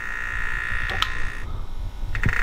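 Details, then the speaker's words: BMW with the radiator fan stuck on high, cold, coolant full: a steady whine drops out, then strained croaking from the electric water pump, no coolant from the weep hole; the pump has failed and needs replacing. "but we have no coolant coming out of the weep hole this car is going to go ahead and need a pump"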